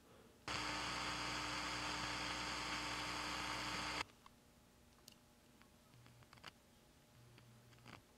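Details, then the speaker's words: 1965 Admiral AM/FM stereo tuner amplifier, recapped, whose right channel loses gain over hours, heard through a speaker: a steady loud hiss over a low hum, unaffected by the volume control, so the fault lies after it; a noisy transistor before the driver. "now you can hear the noise here and the noise is unaffected by the volume control so the noise is coming from something that's wrong after the volume control"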